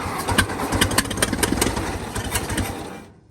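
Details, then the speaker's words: 1922 International truck that sat 30+ years, after timing adjustment and a stuck valve freed with penetrating oil and heat: slow, uneven cranking about two turns a second that labours and fades; starter still stuck and dragging. "the starter's still stuck come on okay come on it's spin"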